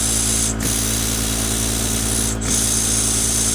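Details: Tiny live-steam RC boat engine running after the reversing valve is switched at speed: fast, even chuff of about three beats a second with a couple of brief dips. It keeps turning smoothly, though it starts poorly at low pressure.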